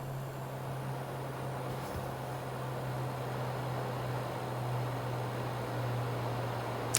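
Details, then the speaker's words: Xbox One X Scorpio Edition, loud under graphically intense games: steady hum under a constant airy cooling-fan rush, worsening over time; owner suspects dried or misplaced GPU thermal paste. "I had a problem with my xbox 1x Scorpio edition at making a lots of fun noise especially when it's coming under different loads from different games especially graphically intense games"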